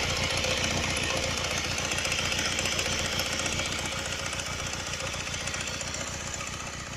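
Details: Honda Rebel 125 at idle, noise began right after the cylinder and pistons were replaced: crisp regular top-end ticking about three to four per second; owner suspects a loose camshaft chain and hopes it is not the piston.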